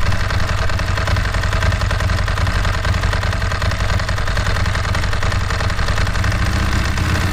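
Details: Ducati 916 started on a newly fitted BS BSLi-05 lithium battery, replacing a failing Yuasa YB16AL-A2: starts readily and settles into an even, lumpy twin-cylinder idle holding steady with no stumbling.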